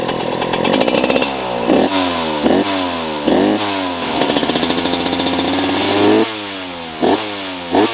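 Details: 2008 Husqvarna 125 CR two-stroke, rebuilt from parts: crisp blips rising and dropping cleanly back to a steady idle, no longer re-revving by itself on deceleration as it did before; running healthy.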